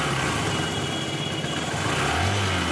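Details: 125 cc single-cylinder motorcycle after engine noise repair, test start: steady, even idle with no clear tapping from the top end; the earlier problem noise is gone and the valve gear sounds quiet and healthy; normal idle.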